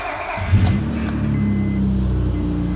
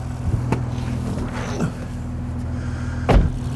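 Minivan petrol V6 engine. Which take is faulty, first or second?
first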